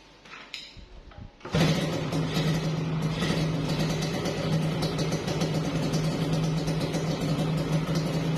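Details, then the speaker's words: Yamaha RX King two-stroke after piston work for top-end rattle (kletek): after kick start holds steady buzzy beat with no rattle from block or piston, smoky; now smooth, standard. "jadi itu untuk masalah bunyi itu dia udah agak apa ya bukan udah agak halusnya Emang standar lah gitu ya untuk dari mesin itu udah halus lah gitu ya"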